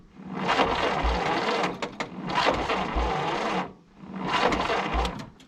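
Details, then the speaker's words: 1951 Willys CJ3A Jeep off the road since 1969, battery low: long cranking bursts with steady starter churn and only a faint pop, no catch; cranks but won't start, very close to firing. "I'm gonna have to get a new 6-volt charger so we can get this battery recharged probably."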